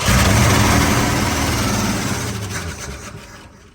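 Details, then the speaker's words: 1970 Ford Bronco started for the first time in 8 years, ignition bypassed and fed from a can: an even, steady low beat for a couple of seconds, then it winds down; sounds healthy. "And it actually sounds pretty good there, so I'm going to keep it running, and then I'm going to check the fluids here in just a minute, see where we're looking there."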